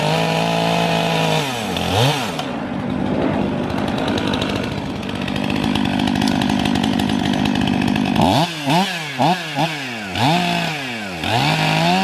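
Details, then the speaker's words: 500i chainsaw with 3/8 steel chain filed with a smaller 13/64 file: revs hard and bogs in the cut, pitch dropping and surging; poorly sharpened chain, owner plans to refile with a 7/32 file. "what's happening is i'm getting some corpusine from the chain and you'll hear going through it what i'm gonna do is i'm gonna go back and file that chain with the seven thirty seconds"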